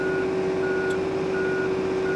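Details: John Deere 35 P mini excavator travelling: steady engine hum with an on-off travel alarm beeping at an even rate while the machine moves, which is normal operation.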